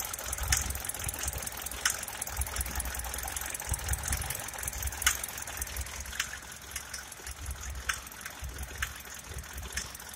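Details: 1998 Mercedes Sprinter 208D diesel idling with a rough low rumble and sharp, irregular knocks about once a second; engine knock.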